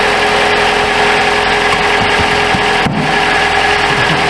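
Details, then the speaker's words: 2012 Chrysler 200 2.4L at cold idle, checked for suspected leaking exhaust manifold gasket or cracked manifold causing cold-start noise and odor; steady, even idle with faint air pump whir and no manifold ticking or puffing; sounds sound. "Well, she sounds pretty quiet. You can hear the air pump, but I heard it in the air box."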